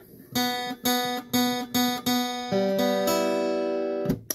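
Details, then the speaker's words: Guitar B string with sympathetic metallic rattle from string past the bridge, after plastic scrap wedged in to damp it: repeated open plucks ring clear and sustain evenly with no rattle or buzz. "I'm going to take this piece of plastic scrap and I'm going to shove it right in there and now I'm gonna play that B string for you again [Music] completely clean"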